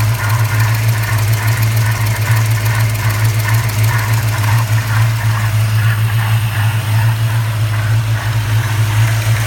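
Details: 1994 Chevrolet Caprice LT1 V8 at idle, recorded under the hood: deep hum with an uneven, pulsing mid-range whoosh and rub; cause unknown, owner seeking input; whooshing rubbing noise.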